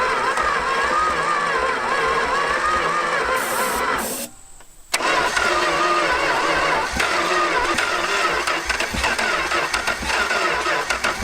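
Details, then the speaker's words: 1970 Plymouth Satellite, first start in 35 years, with carb cleaner sprayed into the intake: the engine catches and fires unevenly for a few seconds, stumbles, then surges ragged again; it is running on spray and starving for fuel. "oh luke luke i know all right get get something to choke it with a little yeah just more fuel okay"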